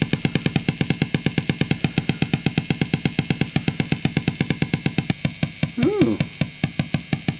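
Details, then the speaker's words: Marshall JTM45 MkII model 2245 guitar amp about 30 seconds after switch-on, guitar strummed: steady low putt-putt motorboating, about five thumps a second, with brief guitar note; oscillation traced to dry solder joints on valve bases. "oh i can hear that straight away let me kind of motorboating sound interesting no idea what that is at the moment"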